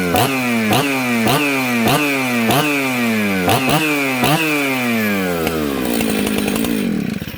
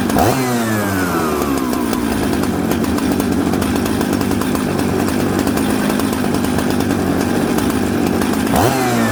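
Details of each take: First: Jonsered 630 Super / Husqvarna 266 mixmaster chainsaw: crisp two-stroke revs rise and fall sharply about every half second before it dies. It idles well and restarts, a healthy snappy saw, though the kill switch is broken. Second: Mixmaster chainsaw from Husqvarna 266 and Jonsered 630 Super parts: loud run, blips sag and burble coming off idle, smoky; rich low-speed jet, low jet then turned in.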